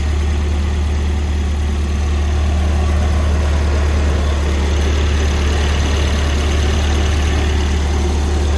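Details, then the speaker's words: Volvo cold start after swapping its orange-label 503 LH 2.0 ECU for a green-label 510 LH 2.1: smooth, constant low idle hum with no lope or surging, unlike before. A wrong mass airflow sensor is fitted and gives some ignition ping. Normal cold idle. "One thing I did notice is before on cold starts with the 2.0 engine or the ECU, it would kind of lope at idle until it warmed up. This doesn't do that."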